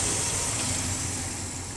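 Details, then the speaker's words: 1998 Dodge Ram 318 V8 at smooth, steady idle with light even valvetrain chatter, no misfire or knock, after a new fuel pump, new crank position sensor and one new pushrod; rockers well oiled. Normal idle. "New fuel pump, new crank position sensor, one new push rod, engine running like a brand new one."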